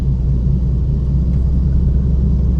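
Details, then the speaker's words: 2011-2018 Ford Focus driving: heavy steady low rumble and vibration, rough road noise from a bad rear wheel hub bearing that also caused flat spots on a tire; hub replaced. "so you'll hear the vibrations in just a minute and the vibrations and the rough road noise is all due to a bad hub"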